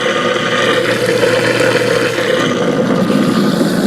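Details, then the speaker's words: Garbage disposal on a rehooked double sink, running with water after the backup fix: steady, even motor hum over running water, no rattling or grinding, nothing coming up in the other sink; normal quiet disposal operation. "And nothing coming up. Nice quiet garbage disposal, huh?"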